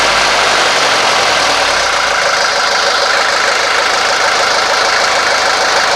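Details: 1983 Mercedes 240D diesel idling after the throttle linkage was lubricated and reinstalled: even clatter at a settled idle with no hunting or surging, running smoothly.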